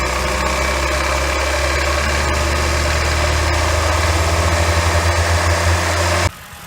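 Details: 2007 Honda Fit started cold: uneven light knocking at roughly three per second over a steady idle until shutdown, first suspected rod knock or piston slap, caused by a worn AC compressor pulley bearing (replaced with NSK 35BD219DUM).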